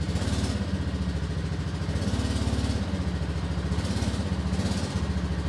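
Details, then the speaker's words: 1998 Yamaha Majesty scooter after replacing the exhaust header, manifold gasket and muffler gasket, first start: low steady idle with an even putter, no exhaust rasp or leak puffing; much quieter than before. Normal idle. "And let's try and get it started and see what it sounds like. A It's way quieter."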